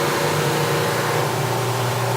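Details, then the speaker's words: Grinder taking a heavier pass on a paper-cutter blade, final blade adjustment, wheel contacting almost the entire blade, no sparks: steady, even grinding hiss over constant motor hum with no chatter; normal grinding contact with good pressure. "hear it make good contact I can see it's contact the almost entire blade I don't get these sparks when I go take it another couple notches for just a little heavier grind and now that sound is telling me that I have a good amount of pressure on this plate"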